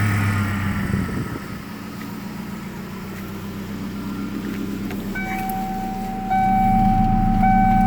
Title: 93 foxbody 2.3l rough idle